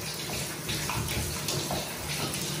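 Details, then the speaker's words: Upstairs bathroom inspection, brand new shower head: only a thin, uneven trickling hiss with no strong spray; pressure is terrible because the diverter gate isn't operating properly and loses much pressure. "shower water pressure is terrible this gate isn't working properly"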